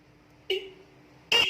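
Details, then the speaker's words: Added second motorcycle horn tested alone, more tinny and treble than the stock horn: two short sharp thin high-pitched honks; works properly, to be combined with the bass horn. "Dia agak lebih cempreng, agak lebih treble. Makanya akan kita kombinasiin antara yang bass dengan yang treble."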